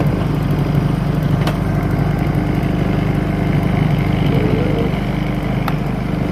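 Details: New Honda EU2000 generator on first start after oil fill and break-in preparation, Eco throttle off: steady even drone with a consistent beat and no stumbles; running smoothly.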